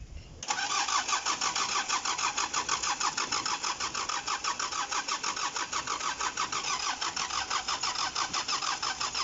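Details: Mitsubishi Canter 4DR5 diesel after cylinder head gasket replacement (oil had been getting into the radiator, leaking valve): engine catches after a short crank and settles into a steady, even beat about three pulses a second; starts normally.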